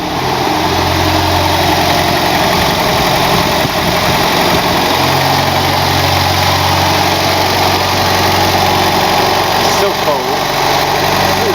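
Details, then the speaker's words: Mercedes W123 230 on its first start of the day, stone cold, with good oil pressure. A steady, even low idle with no knocks, misses or ticks while the exhaust begins to warm: a healthy cold idle. "very, very cold. This is the exhaust starting to heat up. Yeah, still really cold. Sounds nice, doesn't it?"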